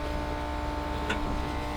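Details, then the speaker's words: WWII German vehicle recently drained and flushed of rancid fuel, ignition on, engine not yet running: steady, even electric hum with a faint whine from the non-standard electric fuel pump; pump running normally. "You can hear the non-standard electric fuel pump running."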